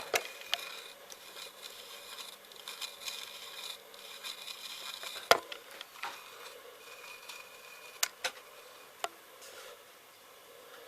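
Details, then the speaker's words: Class AB2 6146 push-pull valve amplifier: quiet hissy static broken by sharp irregular ticks and clicks, clock-like; suspected low-frequency instability or near high-frequency oscillation, later addressed by moving the grounds. "So, I did wonder if it's trying to break into high frequency oscillation, but not quite managing it."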